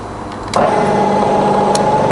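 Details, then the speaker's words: Fully rebuilt Bridgeport milling machine, variable speed head, spindle started at about 1000–1200 rpm to demonstrate quill power feed; motor spins up to a steady, clean hum, constant tone, no knocking or grinding; normal spindle running with power feed. "I'm going to fire it up about a thousand rpm and we're going to show you the quills working as well"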